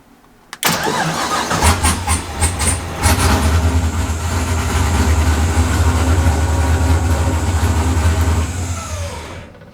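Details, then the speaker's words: Drift car with GM LSX 24x crank sensor, map reloaded with cam sensor enabled: brief crank, catches and settles into a steady rumbling idle with no mechanical noise, but the ECU again shows a cam sensor error; cam sensor suspected. "all right so getting a uh an error once again with the cam all right let's pull the intake and and change the cam [Music] sensor"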